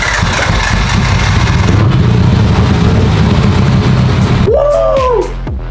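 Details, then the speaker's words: 1998 Nissan Skyline GTT, basically stock RB25, bought non-running; with a newly installed Walbro 525 fuel pump it catches and holds a loud, even low rumble for several seconds, a clean start; rigged fuel line leaks slightly. "We fixed it! We fixed it! Guys, it started 2 times in a row."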